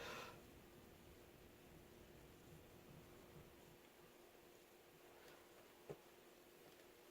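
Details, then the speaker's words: Moss TF Series ceiling fan (New Fan Ltd N-101 C) on a solid-state variable speed control: only a very faint steady low hum under room hiss, nothing harsh; normal quiet motor hum. "Well, that's still not a harsh. No. Would you call it living room quiet? Yes. Yeah, that's quiet enough."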